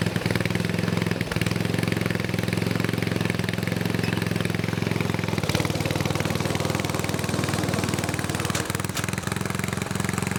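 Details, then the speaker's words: Snowflite snowblower, donated, started by hand outdoors with fresh gas and oil slightly low: small single-cylinder holding a steady, even beat, no misses or surging; runs smooth and healthy. "oh i think it runs pretty sweet i know it probably didn't look very impressive"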